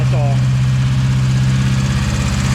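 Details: Integra after engine and transmission install, freshly started and held at fast high idle on the throttle; steady even drone, not knocking; throttle needs adjusting, possibly had air in the line on an earlier start.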